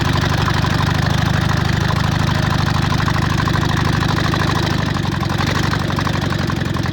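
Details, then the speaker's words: VW Bug air-cooled flat-four after new plug wires, ignition coil and distributor, fed fuel from a bottle: even, steady chuffing idle with no misses or stumbles; finally running, normal idle. "that is a good thing right there it is running thank you jesus all right i'm super excited about that"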